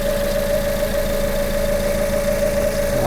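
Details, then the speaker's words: Hyundai Tucson first start: steady high whine over smooth idle, under 1,000 RPM, pitch changing near the end; owner suspects belt tensioner bearing too tight or failing, later says something else, noise fades. "What is that noise? I think my bearing for my belt might be too tight or just going right now."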